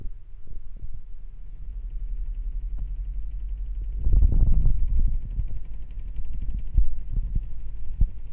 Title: not well leveled/unbalanced machine vibrating and making noise on spin.... solution adjust the feet.